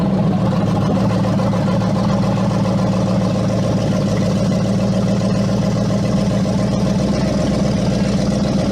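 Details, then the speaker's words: First start of Hemi V8 swap in rolled-over Jeep after coil packs reconnected and fuel primed: strong, even rumble with no knocks, ticks or rattles, 75 psi oil pressure; normal running. "that sounds strong 75 pounds of oil pressure that's perfect"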